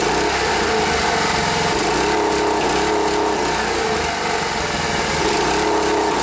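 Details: Rare Briggs and Stratton air-cooled 5 hp outboard after fixing fuel pump delivery and sealing the fuel line airtight: small single-cylinder engine buzzing at steady, even speed with no misses or surging; runs smoothly.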